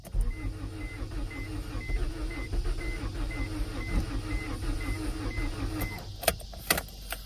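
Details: 1992 Acura Integra, sat over 5 years; new distributor and starter fitted. Steady starter cranking under a regular chime; turns over but never catches. Owner suspects no fuel pump and fears he has flooded it.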